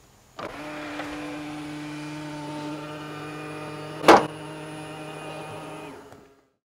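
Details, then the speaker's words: New Tesla Model X, middle-row power seat moving to give rear access: steady motor hum several seconds, then one sharp loud pop near end of travel as the sticking seat trim cover plate snaps free. "so that scared the out of me the first couple of times when I uh would to access the rear it would make that noise right at the end of the travel and yeah it definitely was pretty loud"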